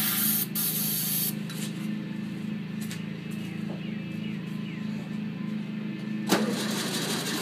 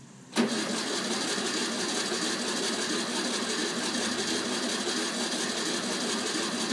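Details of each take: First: 1964 VW Bug air-cooled engine on its first start after sitting over 10 years: steady chattering beat, then a louder rushing roar as it picks up and runs on its own. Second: 1964 VW Beetle, first start after more than 10 years parked; abrupt, steady, even cranking for several seconds without catching; needs extra effort after long storage; cranking, slow to start.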